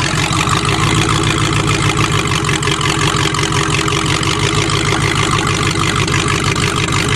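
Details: Engine being revived after hydrolock, water previously in one cylinder and some plugs still wet, started using choke. Holds a steady, even idle with no misses or knocks; normal idle.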